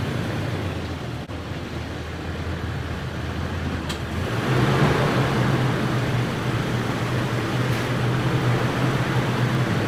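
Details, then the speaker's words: 2019 Toyota Tacoma TRD with Fox shocks, after pulling the front diff mount bushings (rubber looked fine): steady low engine hum with wheels turned lock to lock, no pops or clunks; front end unusually quiet. "honestly it's never been that quiet that was pretty crazy um usually there's a lot of other racket going on"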